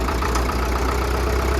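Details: 1937 Caterpillar RD4 crawler tractor/dozer, started after sitting for many years; slow heavy even idle thump, steady low rumble, no knocking; some track pulleys worn; normal idle.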